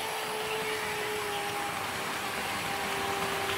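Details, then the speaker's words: Trix 22764 BR 120.0 DB electric locomotive, HO scale metal model with two driven axles, at 50% power: steady, fairly loud hum with hissy edge; motor quite noisy, less than Fleischmann BR360 but noisier than newer models, yet smooth runner. "The motor on this train is quite noisy, although it's not quite as noisy as the Fleischmann BR360, but it is quite noisier than the newer model trains that I have."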